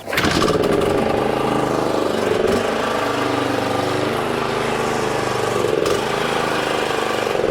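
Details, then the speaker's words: Exmark 21-inch commercial mower running, owner reported noise with blades engaged, clutch sounds fine: steady engine drone with rough gritty grinding from the wheels like a rock inside; wheel bearing grinding. "well I did notice though there is a weird noise coming from the wheels so that could be the problem kind of sounds like there's like a rock or something in the wheels"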